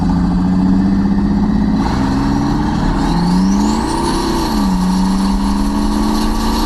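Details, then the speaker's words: Twin-turbo V8 OBS Silverado, fresh exhaust installed, pulling hard with rising turbo whistle, then stumbles and breaks up mid to top end under boost; owner suspects it needs more fuel (no AFR gauge) or boost outflowing the heads; oil blowing afterward. "turbo seems to be breaking up somewhere toward like the mid to top end and I'm pretty sure it's just out flowing the heads"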